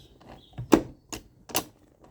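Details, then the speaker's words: 1997 Honda CR80 gearbox after an engine split to cure hard 1st/2nd selection, cases reassembled and main shaft spun by hand: crisp, light selector clicks about half a second apart going from first up through the gears, no grinding; nice, easy shifts. "so down into first gear there a nice gear change up into second third and you can hear those clicks are all nice easy clicks"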